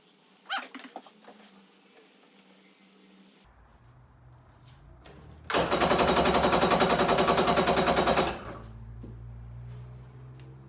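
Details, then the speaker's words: Kawasaki SC jet ski with swapped-in Kawasaki 750SS small-pin motor, air filter cover off: about three seconds of fast, even starter cranking that never fires; spark checked good, no fuel reaching the carb, so fuel poured in to test. "there is not an ounce of fuel in there so I'm gonna cheat a little bit and I'm gonna pour a little fuel in the carburetor just to see just to rule out the spark issue"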